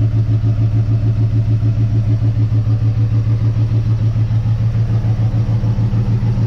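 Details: 1958 Dodge Coronet Lancer, barn find sitting 30 years, warming after plugs regapped and distributor reinstalled; low idle with uneven lope, about three heavy pulses a second and a hollow gap; number two cylinder dead, persists after swapping plug wires.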